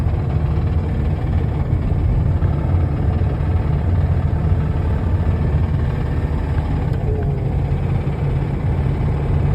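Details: Mazda engine driven on its way to an engine replacement: heavy low rumble under steady driving with a deep knocking buried in it; the engine is failing and knocked badly before seizing.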